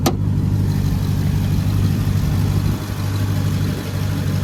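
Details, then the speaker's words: Salvage-auction three-row SUV with sunroof and an oil catch can; everything under the hood looked in order. Steady, deep V8 burble at idle with even low rumble and no knocks or ticks; healthy engine. "Well, let's let it run and get a rev on this one too. Yeah, that's tough. I like that."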